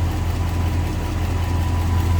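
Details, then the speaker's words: 1956 Ford F100 pickup, Ford V8 with Holley 4-barrel and dual exhaust, idling in neutral with hood open; steady even low rumble, no knocks or misses: healthy idle. "Looks like it's running a Holly 4-barrel. Sounds good, looks good."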